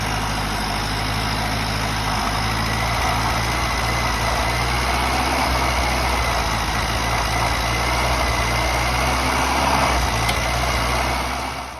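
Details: Nissan Hardbody engine after the injector ground wires, which met at a clamp, were cut and soldered together to fix idle issues: steady, even idle with no misses, stumbles or hunting.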